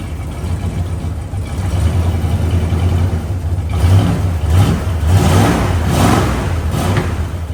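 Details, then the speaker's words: 1970 Dodge Charger, 383 big block V8, stock exhaust before Flowmaster install: deep rumble swelling and falling with each throttle blip, clean and even, fairly quiet; healthy engine. "This is a big block 383 car, and there's a couple of things that he wants to do to it to definitely make it sound a lot nicer. This is what it currently sounds like with the stock exhaust."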